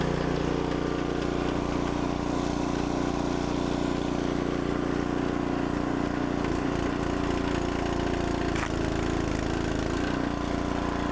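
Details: Log splitter small single-cylinder engine after carburetor jets cleaned with carb cleaner and compressed air, under light splitting load: pulls steadily with even firing, no misses or knocks; running healthily.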